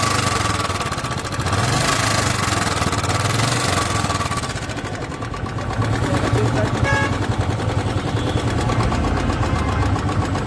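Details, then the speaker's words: 2017 Royal Enfield Bullet Electra 350 UCE single-cylinder motorcycle idling with loud sharp "kat kat" ticking over its slow thump, resembling hydraulic tappet noise; cause not confirmed in clip; engine top-end ticking. "तो guys आज की जो video है वो है कि एक Electra है 2017 मॉडल और उसमें कट कट कट कट की आवाज़ आ रही है, जैसे कि इंजन में कुछ बज रहा हो। तो अगर आप देखोगे तो आप भी कहोगे कि ये हाइड्रोलिक की आवाज़ है।"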